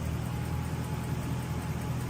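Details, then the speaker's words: Toyota Soarer/Lexus SC400 1UZ-FE V8 just started after fitting a T-piece for the 3-second delay: steady even low idle, no knocks or misses, revs rising as ECU and idle speed control valve learn each other; normal idle. "So it started but what will happen now is the revs will pick up"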